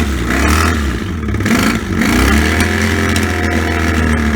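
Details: Barn-find 1984 Honda V65 Magna VF1100C V4 on open pipes, first start after revival: a loud, raw bark that revs and settles cleanly with even firing on all cylinders while WD-40 burns off. It runs normally.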